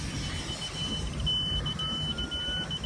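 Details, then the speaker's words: Boat at the ramp that ran fine on the hose but wouldn't start: piercing steady high warning beep over low rumble because the lanyard had disengaged from the start safety switch. "so you don't have this earpiercing uh beeping all in the background from the engine not starting"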